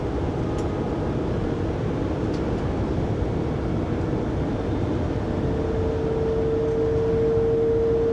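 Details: 2020 Pleasure Way Plateau FL (2019 Sprinter 3500XD), recorded by phone at 80–90 km/h after drive shaft and differential replacement: road roar then steady mid-pitched whine that holds; driveline whine, source not pinned down.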